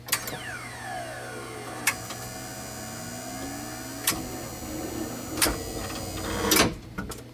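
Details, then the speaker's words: Betson claw machine relays under the label, run through a complete cycle: sharp relay clicks every second or two over the whir of the claw motors moving and dropping; the relays are switching normally. "and what you're hearing are all of these relays which are underneath this label firing as needed"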